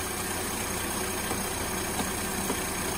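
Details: 2007 Mercedes-Benz (350), idling: constant loud airplane-like roar, electric cooling fan stuck on despite zero request from engine module or AC, no code; wiring checked and ruled out, faulty 06-07 engine control module blamed.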